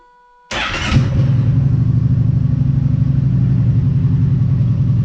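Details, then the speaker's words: Kawasaki Brute Force ATV with the spark arrestor removed: it cranks, catches and settles into a steady, deep, loud, unmuffled idle, reading about 65 on a sound meter at idle. "alright looks like it was dancing around like 65 or so on idle and I'm gonna put it back in we'll crank it up see if it sounds in any quieter"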